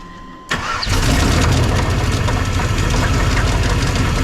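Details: 1999 Suburban 3/4-ton 454 4WD that had not been running, exhaust leak on the passenger side: starts, then settles into a loose idle with a heavy, uneven knock of about three or four per second. Internal engine damage suspected.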